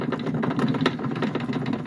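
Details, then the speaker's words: Consul Facilite 11 kg washing machine at high-speed spin clatters with rapid uneven knocks, not a bearing noise; cause is large play from a worn transmission shaft. "e isso é quando começa a girar em alta velocidade, é óbvio que vai fazer esse tipo de barulho, ó, girando."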